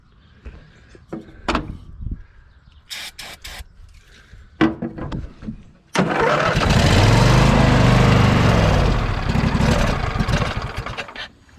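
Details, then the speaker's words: John Deere L120 lawn tractor, long-sitting with mouse nest under air filter cover, fresh gas added and carb cleaner sprayed in intake: clicks and clatter, then at about six seconds the V-twin catches and runs evenly. "and uh just going to take some uh hard PL CLE here and spray that in there does"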